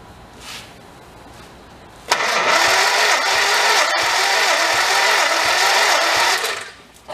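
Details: 1955 Morris Oxford parked 33 years, compression test while cranking (cylinders reading about 70, 50, 70–75 and 30 PSI): slow, even cranking about four pulses a second with steady resistance; normal cranking, this cylinder holding good compression.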